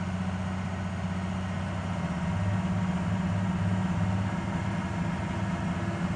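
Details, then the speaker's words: 2006 Ford F350 6.0 Powerstroke diesel with new injectors, filters and sensors: a deep drone that swells and sags, with rpm fluctuating around 3300–3500. Rpm fluctuation; owner suspects aftermarket cam/crank sensors or throttle pedal. "[Music] there's that idol oh well fast idle rpm fluctuation [Music] only this time it's somewhere near 33 to 3500 rpm"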